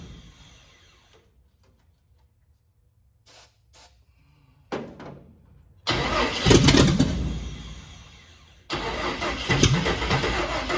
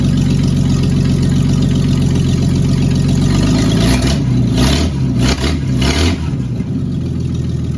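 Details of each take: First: Carbureted cab-over van conversion engine, fuel line run to a half-gallon can, battery weakening. Long bursts of steady cranking, about four turns a second, without catching; the pump is delivering no fuel, and the owner suspects a clogged filter. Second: Cab-over van conversion six-cylinder after refitting the distributor cap: steady, even low rumble settling into a smooth idle with brief blips, no knocks or misses, 40 lb oil pressure; normal idle.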